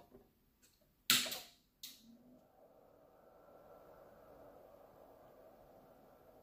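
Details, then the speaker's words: Alinco DM-30T/DM40T switching power supply after replacing its noisy fan with a Nanoxia Deep Silence 60mm 2000rpm fan. Two switch clicks, then a faint, steady soft whir. The new fan is nearly silent, much quieter than the original. "this is the new fan okay let's turn it on and listen to the noise wow wow wow wow pretty silent"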